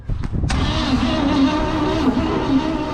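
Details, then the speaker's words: 1956 Chevrolet tow truck abandoned for years, first start attempt: steady, even cranking with good compression beats but no firing. No spark, as the points ignition's points, rotor, condenser and coil are all missing. "So if you don't know much about points ignitions, this isn't the one you want to use, because the points, the rotor, the condenser, and the coil are all missing."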